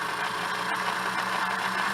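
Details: Singer Model 628 Touch & Sew after a bobbin case fix; its positioner arm can rise at speed and let the bobbin case jam, but it is serviceable. Even, quick ticking over a steady hum at constant speed, no catches or knocks: running smoothly.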